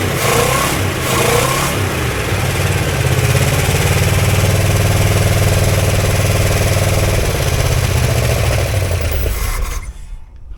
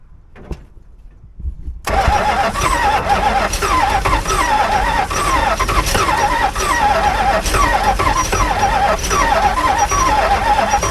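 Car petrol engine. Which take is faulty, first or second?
second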